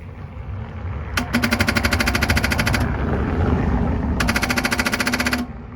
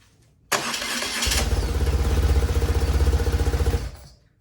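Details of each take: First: BMW R1100 RT in frosty weather, a couple of degrees: rapid chattering ticks in two bursts, about three per second, with no cranking; the battery measures a healthy 12.4 V; the starter and battery were later replaced. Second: BMW R1100 RT after fitting a replacement starter following a no-crank fault: brief starter whir, then the twin catches right away into an even, steady thumping idle; problem solved.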